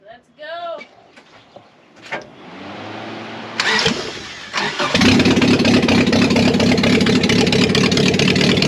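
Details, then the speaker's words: Subaru BRAT started with the catalytic converter removed, the cat having been found to cause the knocking rather than the engine: cranks a few seconds, catches, then a loud, raspy, open idle. The exhaust is loud without the cat; no engine fault. "Is there anyone out there that's curious to know what it sounds like without the cat on? I am. I am. Start her up, Pear Bear."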